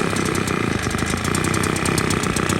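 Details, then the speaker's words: Engine fed intake air through a baby bottle of burning cigarettes replacing the air filter; at full throttle it holds a strained, uneven drone without rising in pitch, bogging and won't take throttle, starved by the restricted intake. "It won't really take throttle. It's sucking on it pretty hard."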